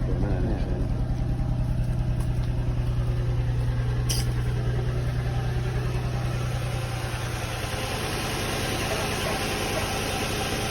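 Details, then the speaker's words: Nissan 350Z/Infiniti G35 V6 at idle after valve cover gasket replacement: steady idle with a rapid, regular puffing tick about three times a second. There are multiple holes in the exhaust, so it's an exhaust leak; a new exhaust is suggested. "well there's definitely holes and there's more than one hole in the exhaust"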